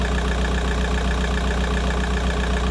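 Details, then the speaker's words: VW Golf 4 started cold after replacing the water pipe seal on the side of the cylinder head to fix a coolant leak, checked for leaks: steady, even idle, smooth low rumble, no ticking or knocking; normal idle, no leak. "Voilà, donc je démarre, je vais chercher la clé. Vérifie, attention, les fuites. Quand le moteur tourne,"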